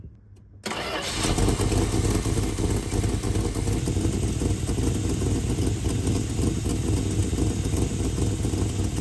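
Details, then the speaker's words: V8 starts within a second and settles to a steady, even idle with a low regular burble; vacuum advance hooked up, timing 27° at about 880 rpm, idle raised by the advance; normal. "All right, that's at idle. So at idle, I'm getting 27° 880 RPM. So the RPM went up because the vacuum advance is hooked up."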